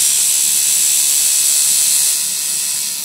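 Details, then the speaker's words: Centri Cobra tattoo machine with Switch at 9 volts, running free; fast steady buzz with light rattling tick as armature taps the magnet, harmless unless at about 12 volts. Normal unloaded run. "It just means it's basically banging into the magnet, but it's not going to destroy it or damage it unless you're running at like 12 volts."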